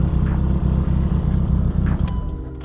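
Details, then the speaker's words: Mitsubishi Evo 9 idling just after new STM starter install fixed click/no-start; steady, low, even idle with a smooth beat and no grinding or clicking. Normal idle. "all right cool so everything seems to be good"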